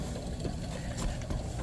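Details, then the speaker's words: Leslie 147A rotary speaker with client-reported scratching and ticking: faint irregular light ticks over a low mechanical rumble, coming from the bottom, seemingly the lower rotor, as if something catches as it turns. "And ticking. Coming from the bottom."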